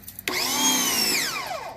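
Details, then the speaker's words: Ryobi 2000 PSI 1.2 GPM electric pressure washer with water connected: motor spins up to a steady whine, holds about a second, then shuts off and winds down; keeps shutting off after starting instead of staying on. "see how it shuts off that's the problem okay it should actually stay on"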